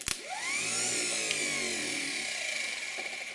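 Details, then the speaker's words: Starter motor from an old Ford industrial 4-cylinder chipper engine, after new brushes and commutator cleanup, run on the bench from a jump pack: quick spin-up to a steady even high whine, no grinding, stutter or sparking; healthy starter. "got my jump pack here oh i guess you gotta turn jump back on sounds good don't see any sparking on the"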